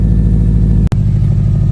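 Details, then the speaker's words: Subaru STI on a 700whp build at idle: steady low exhaust pulse, then a sudden dropout and lumpy, uneven beat as it starts to miss, then stalls; suspected coil pack, plug, coil wiring, or rich/lean condition, not confirmed. "Oh, here we go. Now it's starting to miss."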